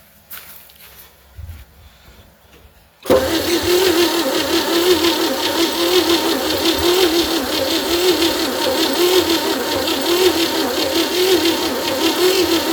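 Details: 1960 Chevy C10 with the 235 six, sat about 40 years in a fence line, first crank attempt. The starter drags sluggishly at about one heavy compression beat per second and never catches. Weak battery and tight valves are suspected; a charger and backing off the valves are planned.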